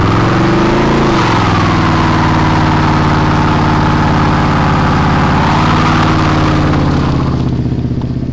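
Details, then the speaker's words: 1994 Camaro Z28 V8, revived from a no-start: deep choppy loping idle holding steady and shaking the whole car, which is just the cam; normal, not a fault. "Whoa, the whole car's shaking, but that's really just the cam."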